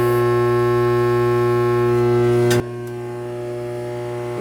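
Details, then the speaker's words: AC system with no cooling and burnt smell in the house: loud steady electrical hum with no airflow, then a click and lower hum; blower motor humming but not spinning, suspected bad motor or transformer. "what's that Steve the mold is not the mold is not spinning I could hear this man after that I shut it off"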